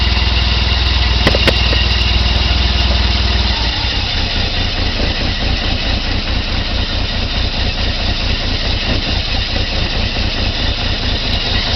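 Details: 1990 BMW E34 520i, M20B20, LPG/petrol conversion, cold engine on petrol after hard start: uneven idle stumbling and hunting at low revs; owner suspects failing fuel pump.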